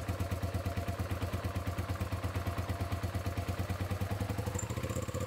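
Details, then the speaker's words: 2006 Hyosung GT650S V-twin after carburettor cleaning (it had run on only one cylinder and would not exceed 5,000 rpm): the idle settles into an even, deep pulsing thump as the second cylinder starts firing. "यह दूसरा cylinder है काफी बेहतर!"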